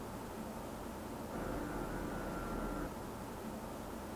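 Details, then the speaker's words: Cyberpower Ultra R77 Pro prebuilt (Ryzen 7 7800X3D, RX 7900 GRE) in a 3000D Airflow case on the default fan curve: the included RGB front fans at 1800 RPM give an airy rush with a thin whiny, resonating hum. A fixed 1000 RPM setting removes the whine. "The included RGB front fans in the 3000D airflow are not of the greatest quality, and while spinning at 1800 RPM, they do emit quite a whiny, resonating hum."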